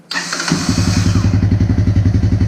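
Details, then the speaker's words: Vehicle starting with the neutral safety switch bypassed by a ground wire and a new muffler fitted: brief crank, then it catches at once and settles into an even, steady idle with regular pulses and no misses, much quieter than with the old muffler. Normal start. "work she starts right up so SIDBI runs again whoo listen how much quieter she is compared to how she was with the old muffler"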